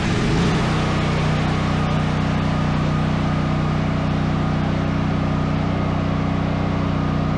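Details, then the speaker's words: Duromax 13000 generator after replacing the choke stepper motor and spark plug (gap about 0.029–0.030 in); fires right up and settles into a steady, even drone with no backfiring; normal running. "all right fired right up no backfiring no issues"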